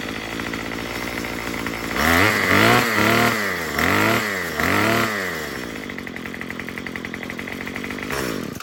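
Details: Murray M2500 string trimmer, long unused, after fitting a new carburetor kit and turning the high-speed screw counterclockwise with the kit tool: four quick rev-ups climb cleanly without stumbling, then a steady buzzing idle. No more bogging.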